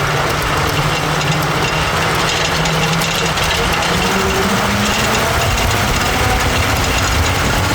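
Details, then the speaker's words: Neglected Jeep J-series truck with four-barrel carb, previously wouldn't idle without throttle and seemed over-fueled, now running: loud, steady engine roar under load with no knocking or misfire; motor sounds good. "There she is. The motor sounds good."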